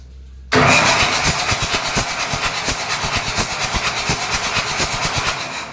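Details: Boat diesel engine with oil and water mixed: the starter churns with steady compression thumps, about four a second, but the engine never catches. Hard starting.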